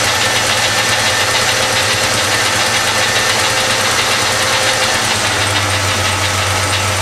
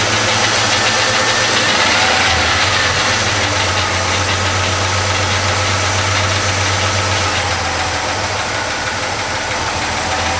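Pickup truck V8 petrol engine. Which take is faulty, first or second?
second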